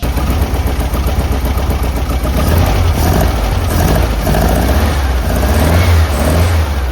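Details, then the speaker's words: Classic VW-powered Porsche 356 after the carb linkage and push rod were adjusted and the carbs synchronised: a steady, even exhaust beat with no stumble or surging. The engine now runs smoothly. "So much better."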